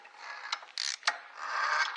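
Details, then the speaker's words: BMW F 650 single, sold as having rod knock, engine turned counterclockwise by hand: uneven ratcheting clacks and scrapes in bursts as the timing chain skips teeth; crankshaft play seems absent, crank bearing possibly bad. "chain starts to skip and oh that all that stuff happening usually you're not supposed to spin those engines counterclockwise but it's not going to hurt them and this one is making some horrible noises"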